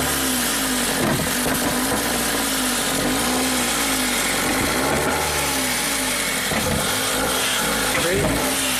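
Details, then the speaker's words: 2017 Ford Focus after owner's used DSG and new dual clutch swap, air pipe removed and MAF sensor unplugged, no fault codes stored: ragged running with sharp irregular pops every second or two, suspected backfiring into intake manifold; timing untouched. "It sounds like it's backfiring into the intake manifold."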